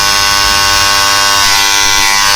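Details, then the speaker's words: WAHL Home Cut hair clipper at home start-up: loud harsh steady rattly buzz with a high raspy edge; noise from a misadjusted tension/adjustment screw on the right side, fixed by turning that screw slightly until the buzz stops. "जिसके customer घर पर machine को start करते हैं दोस्तों इस type के कुछ आवाज सुनने को मिलता आ"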